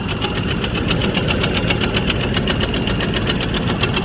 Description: First video under the hood trying to diagnose this rhythmic knocking/banging that started recently. It follows engine speed.